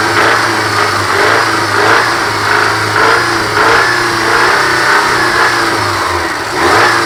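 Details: Subaru engine revving up and down with an irregular knock running through the rev rise. The owner cannot pinpoint the source and the cause is not confirmed.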